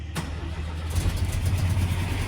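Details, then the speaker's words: Lancia Flavia during restoration, carburettor jets just adjusted, started without pumping the pedal: quick crank catches at once and settles into a smooth, even low idle with no stumbling; engine sounds healthy. "and she starts right up and it sounds nice and smooth so engine sounds good that's uh one less thing to worry about"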